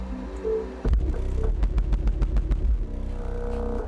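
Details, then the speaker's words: Sundown Audio 12-inch 500 W RMS subwoofer on a SoundStream TXP1.3500D amp, after rewiring: bass comes through but each hit has a buzzy, rattling edge; still distorting, coils read 3.5 ohms each with no rub felt; loose voice coil suspected. "now it sounds like it has sound but it still sounds like there's something wrong with it"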